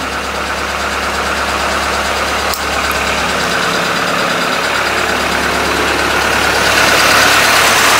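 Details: Old carbureted truck in cold weather, first start after a couple of puffs into the carburetor, MagnaFlow muffler not yet finished: steady, even rumble holding idle on its own, no stumbling or misfire; normal idle.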